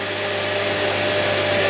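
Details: 2009 Honda Accord after power steering cooler tube, hoses and serpentine belt replacement, refilled and turned lock to lock: steady mid-pitched whine over the running engine, likely the pump straining on air from being run empty.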